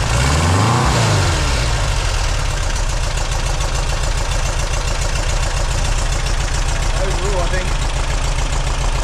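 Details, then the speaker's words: Refreshed 2-litre VW flat-four on a test rig, first start, cold, Vintage Speed exhaust; catches after a few revs, settles to steady, slightly lumpy cold idle, no knocking — normal running, timing to be double-checked. "I think overall she sounds like she's going to be a good little Runner"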